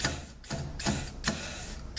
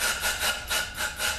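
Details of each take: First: 6L50 transmission rebuild, air check of the 1-2-3-4 clutch pack with reused OE rings: short sharp air blasts with quick silence between and almost no lingering hiss; clutch pack applies tightly with very little leakage. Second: GM 6L50 transmission rebuild, air-checking the 1-2-3-4 clutch pack with new overhaul-kit rings: loud surging hiss of escaping air about three times a second, no apply clunk; air leaks past suspected faulty rings; clutch piston seal leak.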